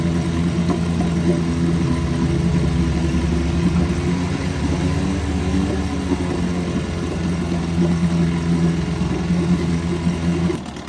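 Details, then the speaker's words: 1974 Evinrude 6 hp Fisherman outboard, not run since Labor Day weekend, running in a test barrel; steady, even low burble with no misses or knocks from start to finish: a great runner. "Another great runner. I'm going to shut the gas off this one now. Well, this one ran pretty good."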